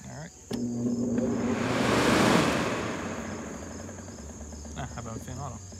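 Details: Early-1970s Sears Coldspot Viewsaver window air conditioner: a thump as the compressor kicks on, then a steady even hum with the fan whooshing, settling smoothly; a normal, healthy compressor startup.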